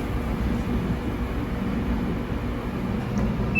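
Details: Samsung dryer after replacing the selector knob board, running with a load: steady low rumble of the drum turning, even and continuous, no scraping or knocking; normal running.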